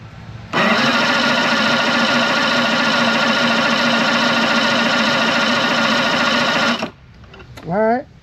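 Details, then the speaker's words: Outboard diagnosed for crank-no-fire: about six seconds of steady starter whir, turning over but never catching; a low battery stops it firing because it can't supply enough spark for the trigger, and the battery was later found bad. "If you have a low battery, it will stop it from firing. So, it only cranks. It's not putting out enough of those pixies for that trigger and everything to work."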